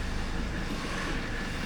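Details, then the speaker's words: 1982 Mercedes-Benz 300TD wagon, OM617 diesel, after valve adjustment and oil change, glow plugs warmed: even clatter rising gently on a light throttle blip, steady rhythm, no odd knocks; healthy. "There you go. That's pretty purry. Check it out. That's just a light rev."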